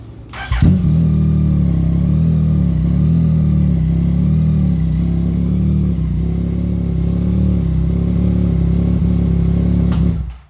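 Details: 2017 Yamaha FZ-09, test run after clutch replacement and clutch cable adjustment: fires up cleanly and holds a smooth, even, deep note through light revs with no clatter or slipping; runs healthy.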